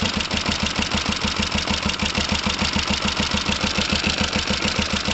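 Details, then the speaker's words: Kawasaki ER5 motorcycle with fuel pump problems and overflowing carbs; new carb gasket, left carb possibly not tightened enough: fast, uneven chuffing around 200 beats a minute that sags and stumbles, rough idle close to stalling, cause unconfirmed. "It sounds like it's stalling. Interesting."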